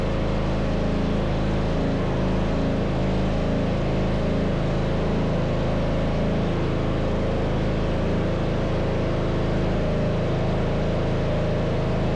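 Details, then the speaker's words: MTD Yard Machines riding mower, 13.5hp Tecumseh engine, after replacing the starter: fires and settles into steady even drone with no misses or knocks; normal running. "Success! It was a starter all along. I was afraid it was going to be that compression thing on inside the engine, but thank God we didn't have to go through that."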